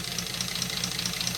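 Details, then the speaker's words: British Leyland Princess 2200 automatic, first start after sitting, cold engine at idle: sharp, regular crackle ticking about four to five times a second, crackling noise at cold idle. "listen to it i got a slide sound like let's have it but well it's a cold engine though"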